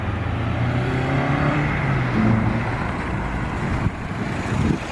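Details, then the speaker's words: 8th-gen car after replacing all engine mounts with Hasport billet mounts, first and second gear run: smooth strong pull with one quick dip at the shift, no wheel hop, shudder or banging; the mounts hold the drivetrain steady. "sounded completely different there's no wheel hop no engine noise none of the ggggg it was smooth as can be"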